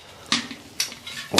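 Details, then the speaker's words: Old Motobécane city bike, wheel with a broken spoke just replaced: four sharp little cracks as the wheel is pressed, spokes seating under fresh tension after truing. This is normal, and the pressing is repeated two or three times. "ça craquer un petit peu vous le faites deux fois de trois fois pour certains pour les maniaques"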